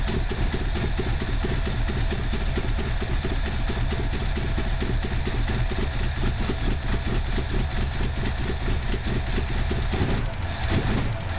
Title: Craig's Ford 289 Motor misfiring !